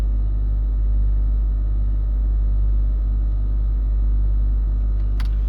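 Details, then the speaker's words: Range Rover L322 3.6 TDV8, Hitachi air suspension compressor after repair, car had sat on bump stops: low even drone continues without break as compressor raises vehicle, no error. Air suspension compressor running normally. "Yeah that compressor is still going."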